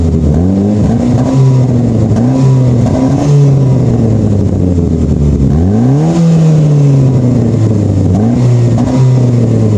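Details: Saab 9-5 with flex pipe broken over winter: loud, raspy exhaust note swelling and blatting with each rev, a huge exhaust leak from the cracked flex pipe.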